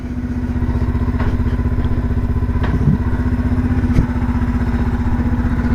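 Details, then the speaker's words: 1978 Kawasaki KL250 single-cylinder, warm after a ride, with a newly installed aftermarket carburetor: steady regular thump at idle, evenly spaced beats, no stumbles or rattles; normal idle. "Listen to that engine purr. Sounds good."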